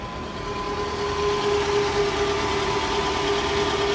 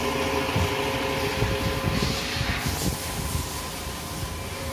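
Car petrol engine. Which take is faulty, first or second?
first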